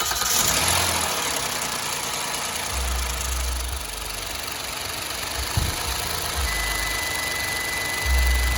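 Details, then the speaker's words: 2012 Hyundai Azera started after an oil change for a leak check at the engine: catches and settles into an even idle, no knocking or ticking. No new oil leaking from the filter. Normal idle. "Time to start it up, see if there's any leak."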